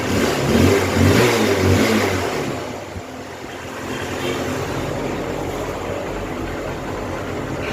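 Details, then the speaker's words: Honda Trigger motorcycle after full service (brake and chain work): revs up cleanly, then drops to a smooth, even idle with no knocking or misfire; normal running. "पहले इधर से की on किया, अभी करते हैं स्टार्ट। देखो गाइस हो गई कंप्लीट चालू।"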